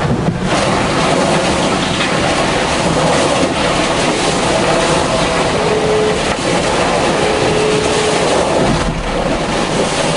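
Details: Vendee Globe 2004-5 yacht at sea, keel free-swinging after both keel rams failed and lashed in place: continuous rough grinding and creaking under heavy sea and hull noise as the keel pin wears in its bearing.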